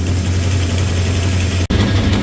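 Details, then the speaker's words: 360 Magnum V8, idling around 2,000 rpm while warming up: fast raspy puffing over a steady high idle, suspected exhaust leaks around the headers; belt also squealing, not confirmed. "that's a little better we still got exhaust leaks and stuff going on around the headers"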